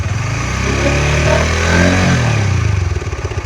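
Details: Honda CB150X, bought 2022, over 60,000 km in three years, engine never overhauled, original tensioner: rapid light klotok-klotok clatter over the engine as it revs and settles. Top-end ticking, cause not pinned down.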